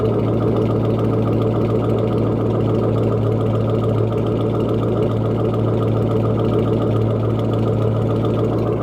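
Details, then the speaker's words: S197 Mustang GT V8 with catless straight-pipe exhaust (no aftermarket cam) at idle: loud, deep rumble with a mild rolling lope from the stock cams giving the classic muscle-car V8 sound; a normal, healthy idle. "interesting about having a straight pipe car is that even though this car isn't cam if you listen closely you can actually hear the stop cams like looping inside of there and that's kind of what gives it that like classic like muscle car v8 sound"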